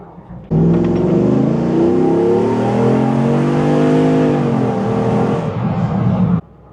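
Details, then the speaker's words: Jeep JK with a newly installed AMW 505 392 Hemi V8 during break-in, rolling into throttle from a dead stop: pulls hard, with pitch climbing smoothly and no misses, healthy acceleration, though the exhaust sounds a little raunchy for a Jeep. "She is a whole different animal now. Wow. Exhaust is a little runchy for a Jeep. Uh, if it was in a Charger, I'd say it sounds pretty good."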